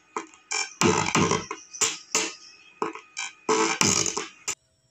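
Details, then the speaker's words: Konzert 502 amplifier with Bluetooth/USB, speaker on right channel playing music: sound comes out harsh and cracked on loud beats instead of clean; owner reports sound on left and right but distorted, amplifier output distorting. "So Basag yung tunog so ang pangit pakinggan mga boss"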